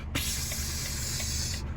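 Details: Truck at road speed: a sudden loud hiss bursts over the road rumble and holds steady for over a second. The driver first feared a front tyre, but compressed air was escaping from a cab air line snap connection.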